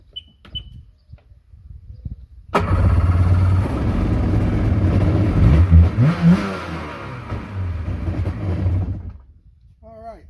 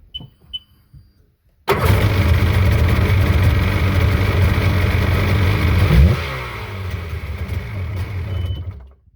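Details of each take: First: Sea-Doo jet ski two-stroke that sat 3 years, new battery fitted, started before new spark plugs; fires at once, revs briefly, then settles into an even, burbling idle, starts and runs fine. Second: Sea-Doo jet ski started after sitting 3 years, with new battery and spark plugs: a few clicks, then the engine catches and runs rough and loud for about four seconds, eases off and stops. Start-up after long storage.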